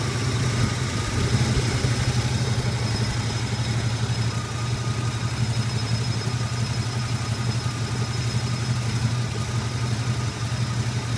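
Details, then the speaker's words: 1981 Turbo Trans Am V8, hot restart after a drive: smooth even idle with a faint thin whistle above the rumble until throttle is blipped, when the air management valve is heard; owner reports rough idle. "Slight whistle coming out of it until I hit the gas, and then you'll hear that air management valve again."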